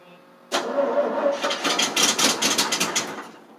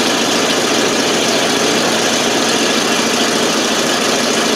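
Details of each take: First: 1988 FMC 6000 with 5-speed, clutch in, neutral: even starter chug about four to five beats a second for three seconds, never fires; fuel not reaching the carb. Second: 1988 FMC 6000 with 5-speed, hard start because the carb was not getting fuel, started with starting fluid: now holds a steady, even idle on its own with a coarse exhaust rasp, no stumbling or dying.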